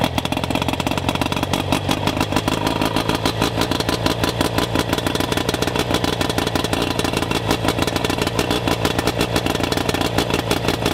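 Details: Rough-running outboard during ignition diagnosis, spark checked with neon tester: ragged, clattery uneven firing at fast idle; fault traced to ignition power pack, later replaced.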